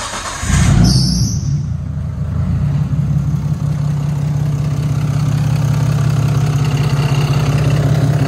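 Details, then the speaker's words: Nissan R34 Skyline RB25DET, first start after cam seal replacement and reassembly (the CAS sensor had been found destroyed): brief crank, then it starts right up and settles into a steady, even idle with no misses or knocks. "actually father than that started right up no problems"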